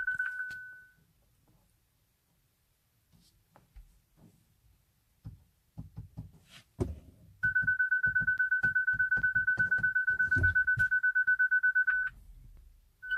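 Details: Hyundai Ioniq Electric won't start, brakes problem shown, key not detected, start tried by pressing the key on the start button; quiet clicks and handling, then a fast steady train of high warning chimes.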